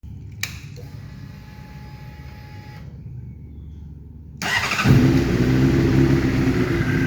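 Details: 2012 Honda CBR600RR, 18,000 km, Yoshimura full system, after limp mode and many new sensors: cold start idles about 2,100 rpm, fluctuating, slightly uneven and wavering rather than smooth; rough cold idle, owner guesses the new TP sensor needs calibration.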